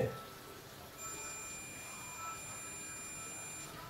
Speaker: the fuse is good right we have this fuse that we took out from computer system yeah computer power supply